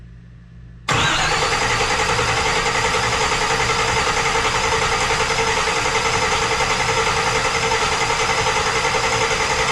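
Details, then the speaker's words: Car engine cranked without starting to prime oil before first start, after power steering line made up and fluids filled: steady, even cranking about 3.5 turns a second, no catch or knock; everything sounds right. "everything sounds right everything sounds good"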